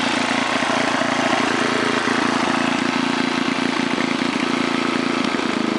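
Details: 1978 John Deere Tecumseh HM80 8 hp 318cc single-cylinder snowblower engine, fresh oil and gas, range about 1700–3600 rpm: steady, even beat at about half throttle, no misses or surging; running smoothly. Normal running.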